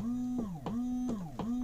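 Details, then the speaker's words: Elddis Avante 566 (2012) caravan cassette toilet flush pump, blue button pressed with no water in the system: steady mid-pitched electric whirr dipping about every third of a second; normal flush pump running dry. "to use the flush we've got our blue button on the top and can you hear the the pump running there we've not got any watering in the system at the moment"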